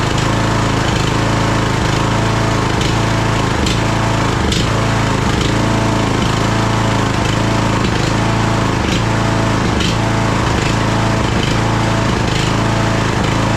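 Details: Craftsman DLT3000 lawn tractor engine, jump-started, oil level full: uneven thumps, stumbling and dipping about every second. It is misfiring, running rough and backfiring through the carb, among its carburettor problems.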